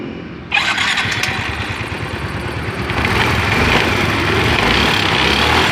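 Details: Yamaha Mio M3 scooter, previously rough and weak, after repair reassembly: quick start, then a steady, even putter holding speed with no top-end rattle; normal running.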